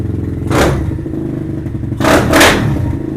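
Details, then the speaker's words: Venom Thunder 125cc dirt bike, Nibbi carb with fuel enricher on, just kick-started: uneven single-cylinder putter with a couple of quick throttle blips, settling back to a steady idle; healthy idle. "Boy, this thing sounds good."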